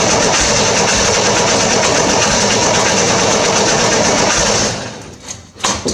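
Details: 1968 Corvair after installing a mechanical fuel pump, a little gas poured in: runs steadily about four and a half seconds, then stumbles and dies once the fuel is used up; a fuel line was then found leaking.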